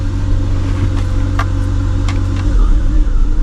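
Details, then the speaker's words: Cheap BMW project car after repairs, secondary air hose issue still suspected: steady low idle with a smooth, even hum and no misses or knocks. It runs much better. "but it seems like it's running a lot better definitely does seem like it's running a lot"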